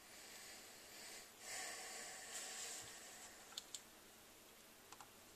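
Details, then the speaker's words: DLX Luxe 2.0 paintball marker with the known grip frame leak, during troubleshooting. A steady faint high hiss with light clicks as gas escapes; the leak seems to come from the solenoid area. "so it sounds like it's coming from the noid area"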